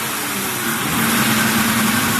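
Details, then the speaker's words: 2003 Mercury Grand Marquis 4.6L V8 at idle: the idle air control valve draws air past itself and makes an acoustic, fluting "yodel" whistle that wavers up and down over the engine, heard from the intake pipe feeding the IAC. "It's trying to suck air past there, and it's creating a musical instrument noise. That's why it sounds acoustic, and it is."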